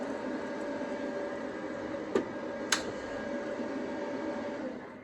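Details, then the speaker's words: Cast iron block plane TIG-welded with Easy Weld no-preheat filler: two sharp metallic ticks about half a second apart over room hum as it cools; cracked again, with the crack possibly visible through the weld. "Then we'll see. Yep, there's that ticking again."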